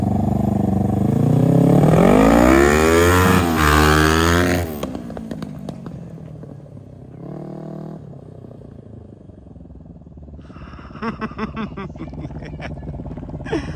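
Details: 2003 Kawasaki Ninja 500R twin in a mini bike, dual carbs, warmed up on a test ride (second gear, about 40 mph): revs climb hard, then sharp pops and crackles on overrun; backfiring, owner suspects lean mid-range, may recenter the needle.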